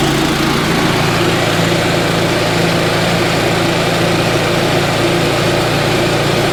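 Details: Yamaha G29 golf cart with a freshly rebuilt engine, first start in neutral after final assembly: a steady low thrum at constant speed, no knocks, misses or rattles standing out; the engine idles evenly.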